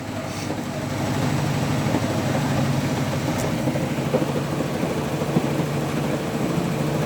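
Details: Hotpoint Active Care washing machine on its final spin: a heavy, uneven rumbling thump at about two to three beats a second as the drum spins out of balance.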